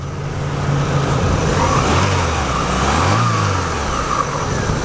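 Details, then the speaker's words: Used Chevrolet Aveo small four-cylinder being revved: climbs and falls smoothly through a couple of revs, steady even note with no knocks or rattles; normal, healthy engine. "listen sounds good that's a good running little engine by Chevrolet folks"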